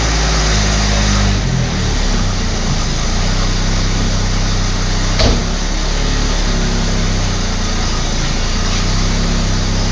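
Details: Abandoned Australian Ford Falcon ute six-cylinder after stale fuel flush and coolant top-up: low, uneven idle with one sharp pop; suspected lean misfire from a dirty carburettor idle circuit rather than a stuck valve, not confirmed.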